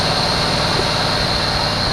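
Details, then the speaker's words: 1974 Chevy Nova, long-sitting, first start with fuel poured into carburetor, smoking heavily; fast steady buzzy idle with no dip or hunting; racing because choke still on. "someone cranked that idol up why'd they crank it up like that i see it's the uh the choke is still on"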